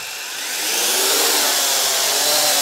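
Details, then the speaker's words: Syma X8HG quadcopter taking off after motor break-in, accelerometer uncalibrated, low rates; buzzy whine climbs as motors spool up, then stays smooth and even, quieter than expected for its motors and gearing, drive sounds healthy. "now it is quite a bit loud however I'm actually quite surprised for the uh Motors and gearing how quiet is"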